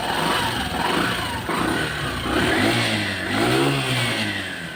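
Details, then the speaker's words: Yamaha Saluto motorcycle after two broken nuts that caused the running engine noise were replaced with three new nuts: clean blips that settle back, no knocking or rattles; normal running. "তো friends আলহামদুলিল্লাহ আমাদের বাইকটি সম্পূর্ণ ওকে।"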